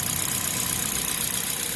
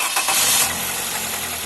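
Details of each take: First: Toyota Corolla engine idling with accessory belt removed, after head cover off for VVT-i cleaning; water pump suspected of knocking: smooth even idle hiss, no knocks or squeals, only normal engine character; normal idle. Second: Toyota Corolla engine just after start with accessory belt on: heavy rod-knock-like tapping, sounding like it may break; removing belt showed the engine was fine, traced to failing water pump; water pump knock.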